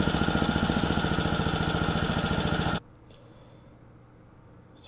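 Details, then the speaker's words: Lawn edger small single-cylinder engine, a no-start, after carburetor service, on bench: quick, even popping beat, then shuts off cleanly, no misfire; runs nicely, likely dirt in the carburetor had prevented running. "it runs nicely. And um there's probably a piece of dirt inside the inside the car body itself that prevented it from running."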